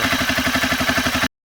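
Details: Honda CBR 250R idling after tensioner adjustment attempt: steady idle with a fast, even light clatter on every firing pulse. Owner suspects loose timing chain, unconfirmed.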